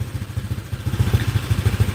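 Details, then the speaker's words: Honda Click 125 LED with PCX150 crankshaft and cylinder and 60 mm piston at stock stroke, runs on gasohol or E85: quick, even low thumps rising with throttle, described as a tighter sound. No knock; it is running healthy. "ฟังเสียงก็เราๆนิดนึงเสียงมันจะแน่นกว่าแน่นๆนึงนะครับ"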